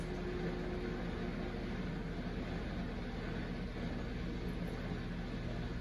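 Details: Samsung Eco Bubble WD106UHSAWQ washer-dryer drying a blanket on the 2-hour timed dry cycle, with the panel stuck showing 1 minute remaining: steady low hum, soft tumbling, even fan drone, nothing irregular; normal drying cycle.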